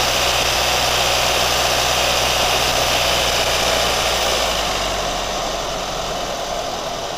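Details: New Chevy Colorado at steady idle: light even tick about four per second over the engine hum; ticking noise, source not yet pinned down.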